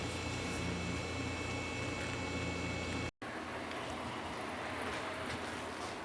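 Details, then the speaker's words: Whirlpool refrigerator after replacing the old start relay with an RCO 410 3-in-1: low, even compressor hum running steadily without clicking or cutting out, sounding good. "you can always use a three in one start capacitor in place of these older relays compressor is running and sounding good"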